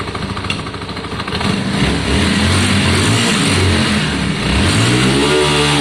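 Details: Yamaha Virago 535 V-twin after carb clean, re-jetting and idle adjustment: lumpy idle picks up into clean, even revs that climb smoothly without stumbling. Carburetion sorted.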